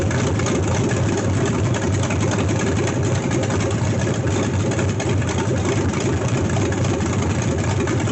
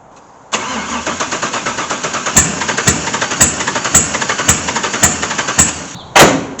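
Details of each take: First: C3 Corvette with swapped LS1 V8, first start, fuel rail O-rings corrected, fans not yet connected, recorded in garage; deep steady muffled burble, no knocks, ticks or misses, sounds amazing; normal idle. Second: LS1 V8 swapped into a C3 Corvette, first start attempt after priming fuel: steady starter whir with sharp regular clicks nearly twice a second, never catching; cranks but won't fire.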